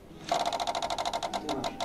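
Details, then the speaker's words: 1988 Yamaha Vmax 1200 electric fuel pump wired directly to battery: quick, even buzzing pulses about seven a second, slowing slightly toward end; pump works, no-start cause lies elsewhere. "marche c'est le bruit de la pompe qui se met en marche on est censé l'entendre à peu près à chaque mise du contact donc je sais que la pompe fonctionne"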